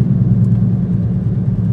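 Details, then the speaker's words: 2010 Toyota Prius driving after loose rear spoiler (wing) was fixed, tyres recently replaced: constant low hum and rumble under road noise, steady not knocking; source unknown, later believed a bad wheel bearing. "It's definitely a droning noise. I don't know what it is, but that wing definitely needed to be fixed for sure."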